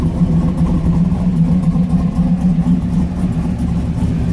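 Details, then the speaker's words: 2001 Camaro SS, cam and bolt-ons, out of gear with a light rev: deep choppy lope at roughly four pulses a second, no knocks or ticks. A healthy cammed V8. "just rev it up just a little bit not too bad for what's done to it it's basically a cam bolt-on car doesn't sound too gosh darn shabby"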